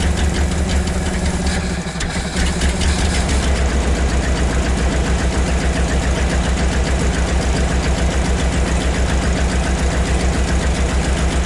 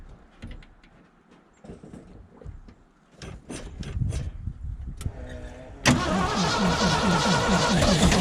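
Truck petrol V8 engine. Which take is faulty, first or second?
second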